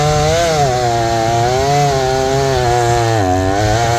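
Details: Repaired old Jonsered 630 chainsaw with 30-inch bar and aggressive full-house chain under cutting load: steady howl dips slightly and recovers, pulls cleanly; owner suspects clutch-side crankcase seal cut by hay-packed oiler.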